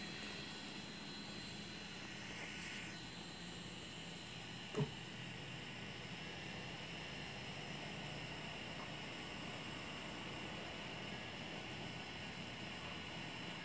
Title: Phantom 3 Loud Fan